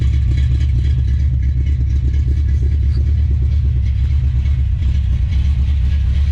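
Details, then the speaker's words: 1970 Plymouth Duster with adjustable rockers, first start: loud, lumpy, loping V8 rumble, totally missing, sounds cammed; one or more cylinders dropping out, cause unconfirmed. "i don't like this the way this thing sounds that's totally missing now it sounds like it's got a cam in"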